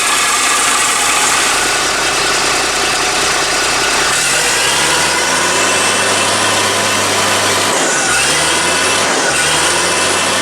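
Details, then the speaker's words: Diesel bus engine, started briefly on low fuel to keep the engine turning over: catches and settles into an even idle with a couple of small speed changes, no knocks or misses, not really smoky; sounding happier than the week before. "It's sounding happier than it was the other week."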